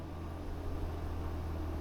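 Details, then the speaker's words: Hisense portable window air conditioner in quiet mode, fan on low; soft, steady low hum with even airflow hiss, no rattles or surging; normal. "Now, when it's going like this, you can push the quiet button there. Quiet."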